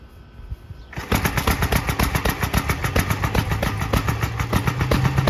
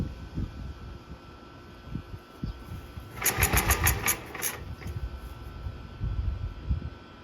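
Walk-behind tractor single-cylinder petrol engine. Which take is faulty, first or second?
first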